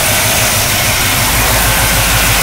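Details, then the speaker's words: 1979 Chevrolet Camaro, fresh replacement engine on its first start and drive, started totally cold without choke, new fuel pump fitted after the old one leaked; even, steady low rumble with regular firing and no misses or ticks: normal idle. "so we're going to give it some gas and see if it will go I'm going to try to do this for outside the [Music] car all right started right"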